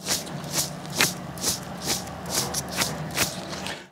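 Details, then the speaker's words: NTN 6204LU wheel bearing, just removed with a cheap blind bearing puller and hand-spun near the microphone: a dry, gritty rasp in repeated swishes about twice a second. It sounds dry; the owner may open it to check for grease. "That one's a bit dry. I might actually open it up and take the cover off and see what's inside to see if there's any grease still in there or not."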